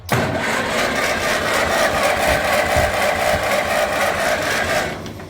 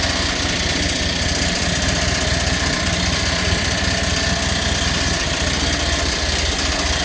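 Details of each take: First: Massey Ferguson TEA20 tractor bought as a non-runner, previously hard to turn over because of a failing starter: it now cranks steadily at about four turns a second with no drag or stumble. Points look close and the coil is suspected. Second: Massey Ferguson TEA20 tractor, old non-runner revived: steady idle with light rhythmic ticking scrape from the fan blade catching the radiator shroud, not the water pump as first thought; water pump has slight acceptable noise.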